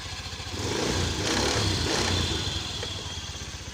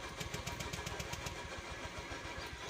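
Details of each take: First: Honda Beat scooter that would not start or died suddenly, after repair: small single idles steadily with light blips, no misses or clatter; runs cleanly. Normal idle. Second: Honda Beat scooter that died suddenly and won't start: starter spins the engine with even rapid pulses, about four a second, but it never fires; crank no start, fuel pump suspected, not confirmed.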